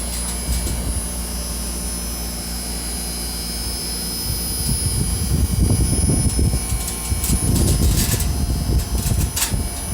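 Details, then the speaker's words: 15,000 inverter air conditioner running: smooth low fan and compressor drone with some gusty rumble, even and unremarkable; pressure rose from 120 to 130 and varied with demand; healthy unit running quietly. "Este es el ruido del equipo inverter de 15.000, señores. Increíble. La verdad que es una navecita. No tiene ni un ruido. Apenas."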